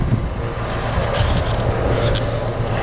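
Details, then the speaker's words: AC condenser after run capacitor replacement (old one failed at about 7 years): steady low hum with smooth fan rush, no stalling or buzzing; normal condenser running. "it's actually turning so before yeah I can hear the condenser humming so uh definitely uh working right"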